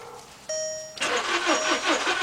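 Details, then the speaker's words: Volkswagen Beetle crank-no-start: brief chime, then starter cranks with steady rhythmic churn that never catches; no fuel getting through, fuel pump not running. "all right guys it's uh it definitely don't start now"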